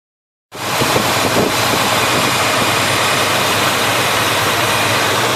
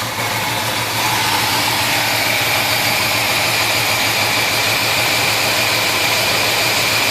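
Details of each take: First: Chevy 350 V8 in a 1971 Chevelle, chased for a persistent misfire (number one plug had been wet), after carburetor parts swap and readjustment with the plug now dry: catches and settles into a steady, even idle with no misses or stumbles. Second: 1971 Chevelle 350 V8 idling with an irregular stumble about three times a second over a steady hiss; number one cylinder dead, its plug still wet, zero compression on that cylinder because a valve is held open.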